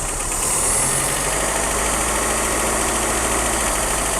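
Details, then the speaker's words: 1990 Dodge Omni, first start after sitting about 15–16 years in a field, new fuel pump fitted, no exhaust smoke: uneven, slightly lumpy idle with faint irregular tick, still settling; rough idle. "Good job. It doesn't sound good. Well, it sounds fine for a vehicle that's been set how many years?"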